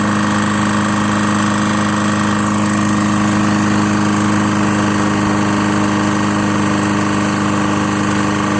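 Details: Lawn-Boy Insight 10682 mower, Tecumseh 6.5 engine, after cleaning water-contaminated fuel from the tank and running very low on oil: steady, even drone at constant speed with no misses or surging, running normally.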